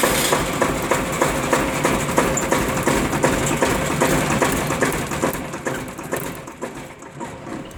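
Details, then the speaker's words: Onan 30 kW diesel generator with a 4-cylinder Ford diesel, unused for a couple of days, injector pump being bled by hand: a rattly diesel clatter catches for a few seconds then dies, with air still trapped in the fuel system. "okay so definitely tried to run there for a minute but we'll see get more air out of the thing oh a lot more air"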